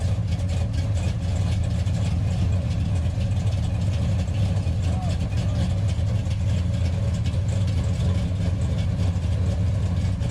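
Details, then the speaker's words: 1968 Dodge Charger with a 426 Hemi V8, driving off: a deep, lumpy idle holding a steady beat with no stumbles, now running much better. "Oh what the hell was that man it's running a lot better"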